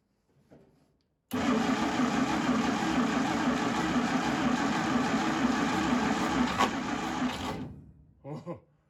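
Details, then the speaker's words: 1952 International Harvester L112 engine, low compression, cold shop, choked with starter fluid, on 12 V: long even cranking about three turns a second, one or two faint fire attempts, no start; starter began smoking. "So I'm pretty sure I heard the engine trying to fire once or twice. Maybe you guys heard that too. And then I was cranking it for a while, nothing was really happening."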